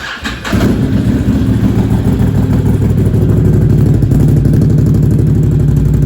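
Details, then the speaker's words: Can-Am Outlander Max 800 XT ATV after repair, sat vertical about 24 hours: cranks, catches within a second, settles into steady, even low rumble with no knocks or misses. Normal start and idle. "I'm so surprised that uh you know it's actually fixed and running"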